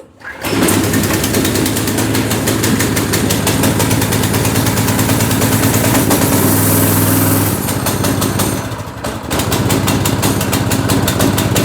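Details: Go-kart with a replacement engine fitted after the original blew up, on its first start: the small single fires right up and runs a fast steady beat, dips briefly with throttle, then settles. The engine runs healthy.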